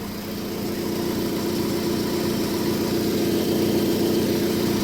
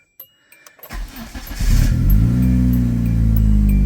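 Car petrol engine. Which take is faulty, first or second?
first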